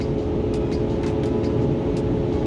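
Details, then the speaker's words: 2009 Ford 6.4 Powerstroke diesel, 124k miles, non-OEM fan clutch and thermostat already replaced: fan commanded off from about 2000-2300 rpm, but the heavy fan roar stays high far too long; the fan clutch is stuck engaged. "right now i've commanded the fan off might take a minute not a minute but it might take a few seconds to to go down and this is staying on way longer than"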